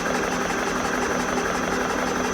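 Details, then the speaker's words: Rebuilt GSV-1/12 compressor during break-in, first 5–7 minutes: even, steady chugging beat, constant pitch, no knocking, rattling or squeal; running normally. "Поки що все добре посторонні шуми відсутні ну принаймні я не чую на відео"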